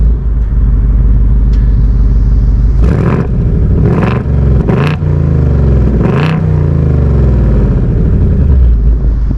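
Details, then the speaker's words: 2024 seventh-generation Ford Mustang GT V8, revving in quiet, normal, sport or track exhaust mode; steady idle with four sharp clean blips, no misfire, modes differ mainly at higher rpm, similar at idle; normal exhaust note. "If you want to hear the difference you really only hear the difference of it at a higher RPM between normal, sport, and track. Idling, they sound kind of similar, but it's really when you drive it and rev it."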